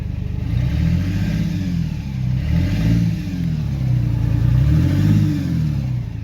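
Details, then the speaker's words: Modified truck after a jump: in first gear the engine drones and surges with a low, uneven clatter, while second gear works; first gear suspected gone, transmission to be rebuilt or replaced. "that's first gear now when I put it into second I mean it's obviously working I don't want to drive over the curb but yeah first gear is gone"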